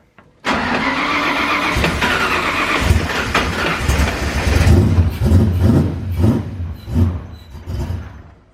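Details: Foxbody Mustang notchback on new custom wiring and Holley Terminator X EFI, start attempt: starter engages, uneven cranking with half-catches and loose puffs that never hold; crank no start, cause unconfirmed.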